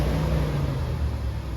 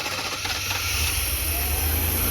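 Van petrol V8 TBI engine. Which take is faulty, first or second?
second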